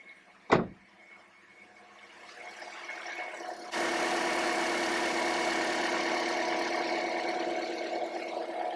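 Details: 2009 Toyota Corolla idling after fuel injector replacement, check engine light gone: quiet, steady idle that gets louder partway through and stays even, with no stumble or misfire; normal idle.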